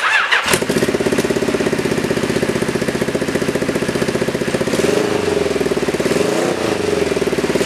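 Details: Freshly rebuilt 1973 Kawasaki Z1 900 engine, first start on a test frame after complete rebuild: fires at once and runs a fast, even, crisp beat with smooth blips of revs; a sound, healthy engine.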